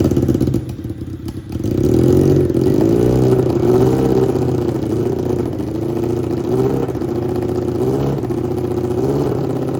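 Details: 1987 Honda CBR600F Hurricane, first start after work, float bowls primed, temporary small fuel line: cranks briefly, catches, revs blip up and down, then holds a raspy, fairly even idle; running normally.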